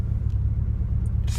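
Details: Long-stored, unregistered 1990 VW Golf or 1997 Saturn SC2, flat-battery car just started, driven slowly in a driveway: low engine rumble with a slightly uneven, stumbling pulse, a mild misfire.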